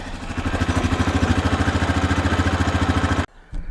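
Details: Small single-cylinder farm-equipment engine right after fitting a new spark plug: it idles with an even thump about three and a half times a second and no misses. Normal idle.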